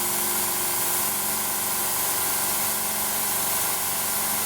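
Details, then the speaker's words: Laser cutter air assist through a valve with its orifice opened up: constant loud hiss over a steady hum, about 750 W of airflow, no pressure left in the line, compressor running continuously and draining; excessive air assist flow. "What we're doing now, we're supplying 750 watts of airflow, and the compressor's running continuously. Does that make sense? That's a very expensive stream of air that's coming out of that nozzle."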